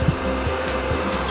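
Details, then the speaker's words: Lakoni 900 W welding machine, reported to power on but give no arc, being serviced: steady whirring fan with even low hum, no rattle or surging; machine runs normally while voltages are checked. "saya itu khan untuk mesinnya dengerin ya udah hidup"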